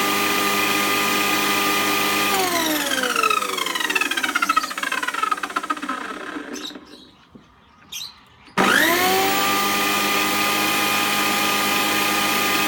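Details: Old electric lawn mower that howled loudly due to a cracked bearing housing, after repair: the motor spins up to a clean, steady whine, coasts to a stop and restarts smoothly with no howl.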